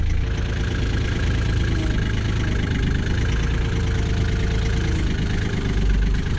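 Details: Kioti CK20HS diesel tractor, after glow-plug warm-up and cracking the injectors to bleed air, suspected of losing fuel prime overnight: deep, steady diesel clatter holding an even idle without stumbling or surging; normal idle, owner still unhappy with the fuel pump.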